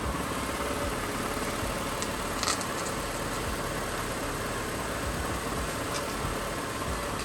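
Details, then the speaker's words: Owner's Honda after DIY repair of the power steering system: engine idles steady and even, and no whine or groan rises while the wheels are turned; steering pump now runs quiet. "So at the moment we hear we are quietly turning the wheels"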